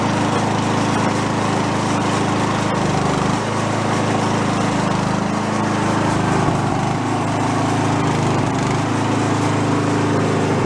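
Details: Toro 1132 snowblower pulled from bulk trash, fuel dribbled in before starting: small single-cylinder engine catches and holds a steady, even run with slight speed wander, no knocks or misses; normal running.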